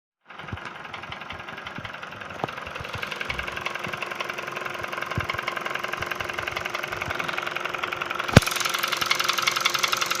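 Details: Kia Ceed JD at idle: quick, fairly steady ticking knock around three to four per second; cause unclear, possibly injector related.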